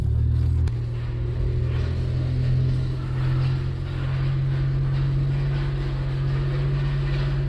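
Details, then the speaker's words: 1992 Dodge Stealth at idle while being driven into the shop. A loud, low droning rumble holds steady and wavers slightly, a worn, loose water pump bearing. The car is due for a water pump and timing belt replacement. "I'm actually pulling your car into the shop. That water pump does not sound happy. Holy."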